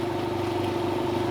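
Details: 200 L 3 hp single-phase belt-driven air compressor after service with the cage back on. It is much quieter, with a steady, even drone and constant mid-pitched hum and no knocks or rattles: normal running.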